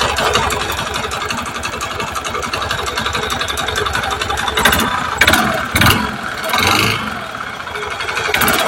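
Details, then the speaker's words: Honda Beat FI second generation with rough engine noise: rough, clattery knocking through idle that grows with each throttle blip, following rpm unlike CVT noise; diagnosed as piston problem, worn piston slapping in the bore. "langsung vonisi ya Mas langsung tak vonis Mas puny jenengan piston bermasalah langsung tak vonis aja ya Mas"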